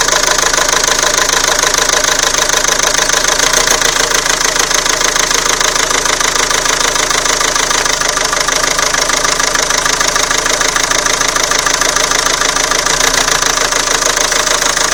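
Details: Renault Scenic 2 1.9 dCi diesel started cold in the morning after sitting overnight: a hard, regular metallic knock at idle. The owner first suspected an injector but thinks it is probably not; the source is unknown.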